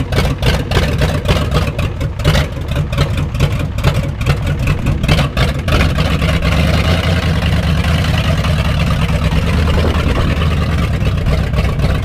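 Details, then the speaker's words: 1989 Ford 7.3 IDI diesel after bleeding the fuel system: deep diesel clatter, uneven and lumpy for the first seconds before settling; suspected air still in the fuel system. "it sounds like there still air in the system"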